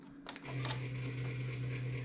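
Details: 1990s Gateway all-in-one LCD computer at switch-on: the hard drive winds up to a low hum with rough mechanical chatter, a blender-like sound from a failing drive; it still boots Windows XP.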